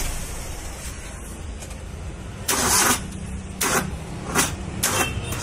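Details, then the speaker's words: Maruti Suzuki Wagon R K-series engine won't start: short, sluggish cranking bursts that die without catching. Battery voltage drops from 12 V to about 7 V while cranking; weak battery, to be replaced. "इसका voltage का problem है battery का। मैं आपको check करके दिखाता हूँ। लगाओ सेल, ये 12 वोल्ट है, ये 7 पे जा रहा है, वो 7 पे नहीं जाना चाहिए।"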